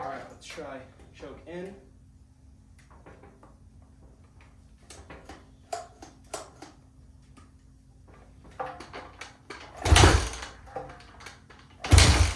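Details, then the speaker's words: 2005 Honda CRF450R bought with a locked-up transmission, kicked with choke on: two heavy kick-over thumps and a brief churn but no firing; cranks but won't start. Piston is free; owner suspects a bottom-end rather than top-end issue. "in sounds like it wants to but no dice um but the Piston is definitely free and it sounds okay"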